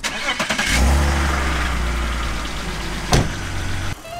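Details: 1986 BMW E24 635CSi with no key, started with a screwdriver on a jump from another car: brief cranking, then the six catches and settles into a steady low idle before shutting off. Normal start.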